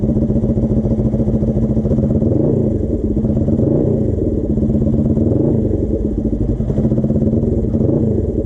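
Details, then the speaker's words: Suzuki GS450 custom scrambler twin, warm, on a test ride: busy exhaust beat surging and sagging unevenly with occasional stumbling; engine breaking up, original ignition coils suspected, later found a dying coil. "this thing's start to break up a little bit I don't he's still low but he had a couple times were sort of fluctuate"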